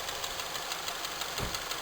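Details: Honda K20A engine at idle: sharp, steady tapping in time with the idle over the engine hum; a clear knock from inside the motor, cause unknown.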